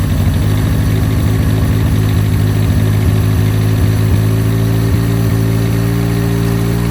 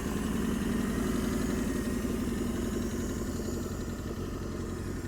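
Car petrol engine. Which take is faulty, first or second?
first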